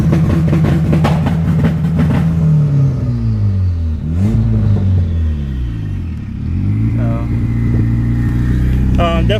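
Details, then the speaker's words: Turbocharged Honda Accord F23 engine with VTEC fixed, tune not yet finished and an oil leak still present: pulls hard through the revs with a faint turbo whistle between gear changes, reaching about 12 psi; boost is clean. "still got to play with the tune um and all that it's hitting about 12 pounds which is all right for now until we get on the dyno again"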